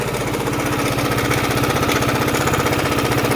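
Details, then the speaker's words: 2018 Yamaha XMAX 300 converted to 350cc with 76mm TDR kit, new TDR cam, new injector, still on original 300 software: steady tick-tick about four a second over the exhaust, uneven; owners suspect new cam's longer lift, software mismatch or a cover problem. "tek tek ses var gibi. Şöyle yeni egzantriğin şeyini bilmiyoruz biz. Daha uzun basıyor."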